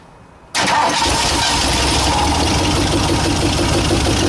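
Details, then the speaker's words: 1960 Ford F100 with transplanted 351 Windsor V8, not run in decades, carburetor needing rebuild: it catches on fuel poured in and settles into a loud, somewhat uneven, rough idle; owner unsure the carburetor has fuel. "Looked like it started and kind of idled."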